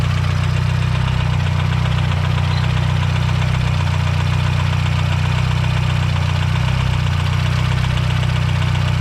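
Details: Built Mazdaspeed 6 engine failed, something let go: heavy, regular knock about 230 per minute hammering through a deep, rough idle, a major rod knock.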